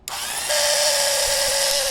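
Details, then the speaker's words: 1950s (Dec 1952) Black & Decker U2 electric drill, still works; steady high whine with rough rattly edge that sags slightly, odd running noise; owner suspects motor runout needing tune-up, unconfirmed. "This thing still does work, but it sounds like it's got a weird run out problem. So the hairs of the motor probably need to get tuned up a little bit, and then it'll be great."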